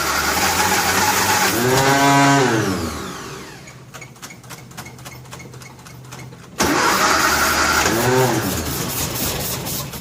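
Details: 1957 Nash Metropolitan barn find that sat for many years, start attempt with the manual choke and fuel pumped: long steady cranking that surges and almost catches but never runs. It won't start because plug wires 3 and 4 are crossed.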